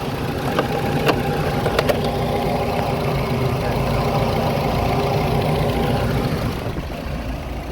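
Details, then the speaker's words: Nissan HiAce (Hiace) van after repair of a no-start electrical fault (main fuse repeatedly blowing, no power to meter or starter): steady, even idle with a low rumble, no misses or knocks; now starts and runs normally. "এখন আলহামদুলিল্লাহ গাড়ি start হচ্ছে কোন সমস্যা নাই সবকিছু ঠিক আছে"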